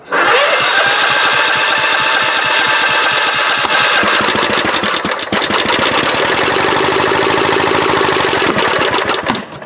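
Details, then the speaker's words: Kohler CV16S engine swapped into 1998 Scott's lawn tractor, weak battery, choke on: single cylinder fires in ragged uneven bursts, stumbling, struggling to start. "Oh, it's struggling. It wants to, though."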